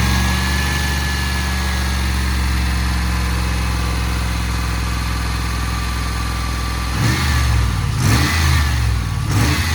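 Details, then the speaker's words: Range Rover P38 after replacing a noisy bearing, refilling coolant and revving to burp the system: steady, even idle rising cleanly when revved, no whine, squeal or rumble from belt-driven accessories; normal idle and revving. "i need to rev the engine up see i'm gonna have to burp it now so to get some engine revs to suck that through the"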